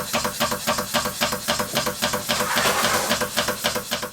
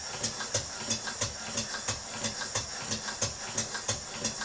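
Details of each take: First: Stuart beam engine as first received, before repair: sharp, even metallic knock about 220 times a minute over the light hiss of the running engine, from the worn connecting rod big-end bush, later replaced with a new bronze bush. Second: Stuart beam engine on compressed air after fitting a new bronze big-end bush on the connecting rod and lubricating: even exhaust puffs about two to three a second, speeding up slightly, no knocking or clatter; runs smoothly.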